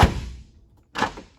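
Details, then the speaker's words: 1978 Mercedes 450 SEL after adjusting the outer door handles: two clean, solid latch thunks about a second apart, door now releases easily with one finger. "one finger it's it's amazing the diff difference when you adjust the door handles"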